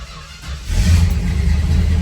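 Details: 1968 Dodge Charger big-block V8 after sitting, started to back out of shop for leaking-radiator repair: short crank until fuel arrives, then catches quickly and settles into a strong, steady low rumble; normal start.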